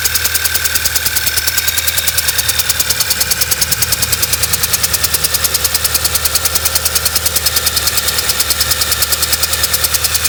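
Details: VW B6 Passat with flashing check engine light: uneven idle with a loping pulse about 2.5 per second and sharp ticking rattle; rough running, possibly misfiring.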